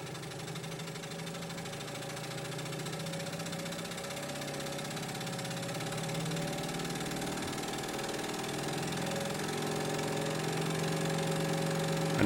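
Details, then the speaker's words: Hegner scroll saw after replacing the worn cam link that caused a noisy rattle: smooth whirring climbs steadily in pitch as the variable speed is turned up to full speed, with no knocking at any speed. "that's going at full speed. And I'm very pleased to say that that's one sweet smooth operation"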